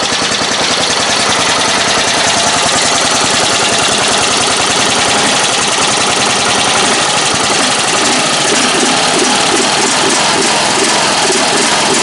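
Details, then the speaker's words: Single-cylinder ride-on mower engine after replacing a leaking fuel tank, started with a screwdriver: constant busy chatter without stumbling or surging; normal idle, a good engine. "She'll sit there today. Yes, sir. Good engine. Impressive."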